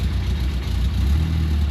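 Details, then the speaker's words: 1961 Mk1 MG Midget roadster after 54 years sitting, restarted once oil pressure came up to about 60–65 psi: smooth, even low idle with a steady deep hum and no knocks or ticks; sounds healthy. "Sounds good. >> Sounds really good. Got oil pressure."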